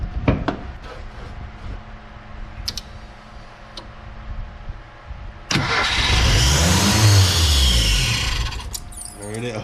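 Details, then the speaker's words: 1987 Ford Ranger after keyway replacement, timing marks lined up and oil pressure confirmed: starter cranks a few seconds, then the engine catches cleanly into a steady, even run; normal start and idle. "my god we've got oil pressure fired right up like butter hell yeah surprising"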